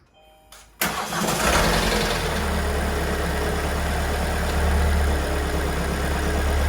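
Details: 2022 Kia Sorento MQ4 2.2 diesel, cold start two days after two weeks in Kia service that called it fine: cranks briefly, settles into rough cold idle with steady knock about four per second; owner says it never behaved like this, cause undetermined.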